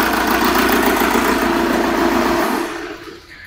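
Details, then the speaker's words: Petrol engine idling rough and lumpy with a recurring stumble about three to four times a second after the number four injector was deliberately disconnected; a misfire induced for a waveform comparison test. "as you could hear there that was certainly misfiring"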